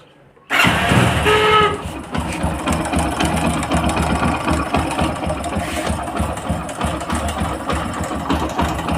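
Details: Motorcycle engine with a loose timing chain, heard before the chain is replaced. It catches and settles to an uneven idle with a fast, light knocking rattle riding over it: timing chain rattle.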